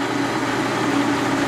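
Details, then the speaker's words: Old horizontal milling machine with chain drive, formerly loud in earlier videos: even, steady mechanical hum with mild gear whine, no knocks or rattles; now smooth, normal running. "i don't know but um from the first videos this thing was pretty loud"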